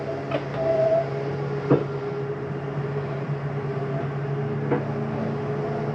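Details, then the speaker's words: 2022 Jayco Eagle 321RSTS slide-out retracting: steady motor hum with sharp clunks at its stop; normal end-of-travel noise from the slide mechanism, nothing wrong. "It's okay to hear when you're putting your slides in or out. That's just the slide mechanism telling itself not to go in any further."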